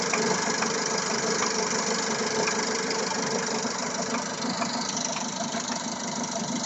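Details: Engine at idle with new cam phaser, water pump and timing belt, fresh Elf oil; light regular ticking knock about three times a second, source unclear; engine knock at idle.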